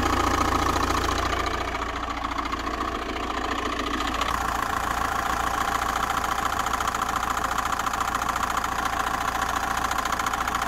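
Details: Diesel camper van at idle: steady run with a regular light knock on every turn. The tensioner was bad, but that didn't fix the noise. Owner is fairly sure it comes from a pulley with a lot of play. Not confirmed.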